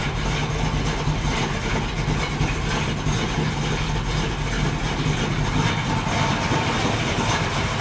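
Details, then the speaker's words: 383 Chevy V8 in a 1964 El Camino on first start: deep, throaty burble at steady idle, louder exhaust than hoped, no knocks or misses; runs fine. "now it is a little noisier than I was hoping for but that's okay got a nice throaty sound to it"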